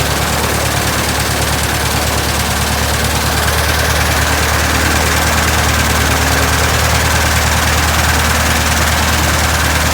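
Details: 1967 Citabria restoration, first start: steady, even low beat of about three firings a second over a constant throb; normal idle.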